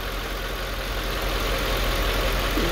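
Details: 2005 Mercedes E55 at 165,000 km during a check-up: steady, even idle with a low, smooth rumble and no knocks or misses; the engine sounds healthy.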